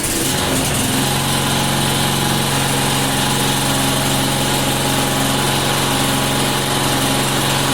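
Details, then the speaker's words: Neighbour's lawn mower, plastic cover off, after the primer that was only blowing air started working: small engine buzzes at a steady, even speed with no misses or surging; running properly. "should yeah it looks like it's running [Music] fine"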